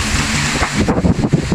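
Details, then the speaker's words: Asahi stand fan that was dropped and now sits tilted, with noise and vibration that the swivel makes worse. Strong whooshing airflow starts pulsing unevenly after a second. The motor is strong and clean; the vibration likely comes from the drop. "tested inspected malakas ang makina maganda malinis ang problema yung vibration may sueto ako na bagsak na ganan namga ginagawa ko kapagka May nangyari sa P so approve"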